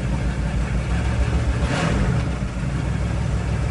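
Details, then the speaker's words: RV engine at idle: a loud, deep, uneven rumble with a coarse exhaust note. All the noise comes from the worn muffler, which is due for replacement. The choke is a little slow to come off; no smoke, oil pressure up, charging OK. "and all that noise is from that only muffler so friday it gets changed out"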